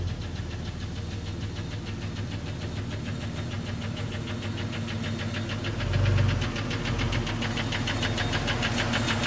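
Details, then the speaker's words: Jeep Cherokee 4.0 inline-six, about 225,000 miles, recorded before removal: rapid sharp knock about three per second with a gritty edge over idle, first taken for a nasty lifter tick; teardown found piston damage. "so yeah this baby had a really bad ticking knocking grinding sound whatever you want to call it when i pull it on the slab"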